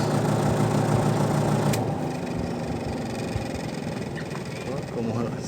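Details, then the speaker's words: Mabe 12 lb twin-tub washing machine after repairing/refitting the spin motor, which had been sticking and moving badly: spin cycle now a smooth even low hum with no rubbing or scraping, a big difference from before. "llevamos a girar la teoría del centrifugado y vamos a escuchar la gran diferencia el sonido que tenía responde ahora no hay comparación señores"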